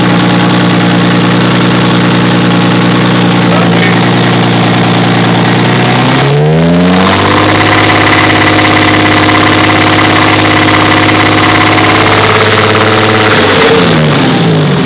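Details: Built Toyota 2JZ-GTE inline-six at 50 miles, idling with a steady knocking through it, brief rev then settling; owner unsure if rod knock or piston slap. Engine knock.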